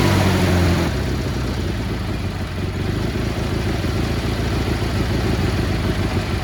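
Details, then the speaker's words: Cub Cadet 1430 lawn tractor after years sitting: runs at steady speed with an uneven stumbling beat, occasional skipped pulses, mild misfire on one side; later found fouled spark plugs and idle screw fully out. "little misfire on this side but she's running pretty good actually"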